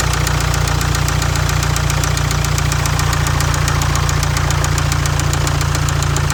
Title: Jaguar Land Rover Ingenieum Excessive Blowby Rod Knock #jlr #blownengine #spunbearing #ingenieum